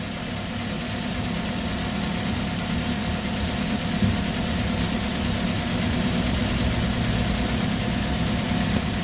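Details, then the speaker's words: Car whose front wheel clunked when steering or over rough road, tested after repair and alignment: steady engine hum while the wheel is turned, with no clunks, knocks or creaks; steering is now tight and quiet. "Oke, tidak ada yang bunyi-bunyi, Teman-teman, ya. Mantap."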